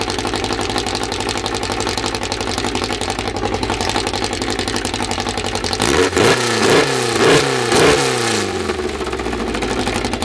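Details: First start of a freshly built 2054 flat-four, carburettors barely adjusted, no final exhaust fitted: loud raw exhaust bark, steady idle then three quick blips rising and falling cleanly; picks up crisply and runs well.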